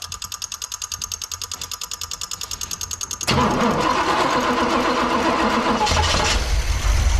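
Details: 1986 Pontiac Firebird Trans Am with suspected fuel starvation, after fuel pump replacement and timing set to 6°: starter cranks evenly, engine catches then runs ragged and uneven, hunting, won't stay running; owner suspects something in the fuel tank.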